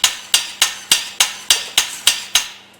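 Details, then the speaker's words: CAT Air Assist Airless pump after the siphon assembly is lifted out of the solvent to drain the system: sharp, fast clacks about three a second with hiss between as the pump speeds up and airflow is heard, running dry. "And you'll be able to hear when it's drained out, the pump will start to speed up, and you'll start to hear the airflow."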